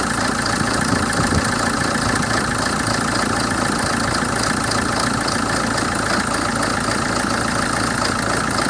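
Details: 2007 Hyundai Terracan CRDi diesel: idle with an uneven, lumpy beat of about three pulses a second instead of a smooth clatter; rough idle fault, cause unknown.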